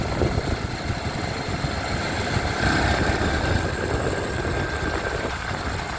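Small single idles with an uneven, rattly clatter riding over the steady beat; something's noisy inside, cause not pinned down. Cause suspected, not confirmed.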